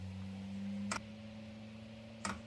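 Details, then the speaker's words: Diesel heater cold start after 2 years in storage, battery connected, fuel line empty of diesel: two sharp ticks about 1.3 seconds apart over faint hum, dosing pump clicking while priming dry line; fuel pump ticking while priming. "you can hear the fuel pump there's obviously prime and there's no diesel on the system"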